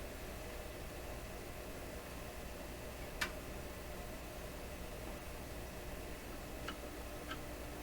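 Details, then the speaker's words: Seabreeze Model 968 tabletop record player at first power-on, volume down, motor not driving anything: only a faint, steady buzzy hum under light hiss with a couple of small ticks; amp is fine, hum is picked-up interference. "Oh, very faint hum. Perfect. It's a kind of a buzzy hum, you know, that comes from picking up interference. That's not a hum out of the amp."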